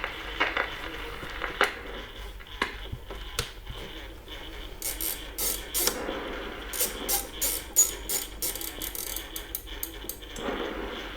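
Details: Audiosonic CL 205 alarm flip clock gives irregular sharp ticks and rasping bursts from its dry motor and gear train, which need lubrication; its neon lamp also smokes if left on over a minute.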